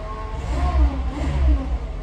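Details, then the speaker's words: VW Golf after petrol pump replacement, pump audible with the cap off: it starts and runs as it should, with deep, even engine pulses and light throttle blips, no knocks or rattles; normal running. "The positive side, obviously, is that it now, you can hear the petrol pumps going. That's because I haven't put the cap back on, but it starts and runs"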